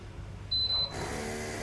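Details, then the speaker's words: Bolde Smart Fountain Expresso digital water dispenser, cooling-side mini water pump: a short beep, then a harsh, steady loud buzzing hum; the pump motor is worn and noisy, and both mini pumps need replacing. "Tuh, suaranya kenceng banget tuh. Gile ya. Jadi guys, harus diganti dua-duanya."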